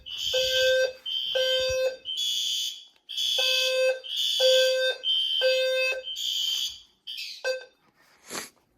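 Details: System Sensor fire alarm test (L series strobe, P2R, P2R LF, P2GRL): loud harsh horn blasts repeating about once a second with short gaps; horn-strobes sounding normally on test.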